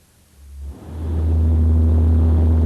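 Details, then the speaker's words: Deep, steady 60 Hz low-frequency booming drone, a frequency matching propeller shaft vibration; an unbalanced or run-out propeller shaft is suspected, not confirmed. "for example the frequency of this sound is 60 HZ it is similar to the booming in question"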